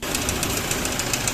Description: the noise of the engine was rattling sound appears on the front area of the engine common issue for 1gd engines.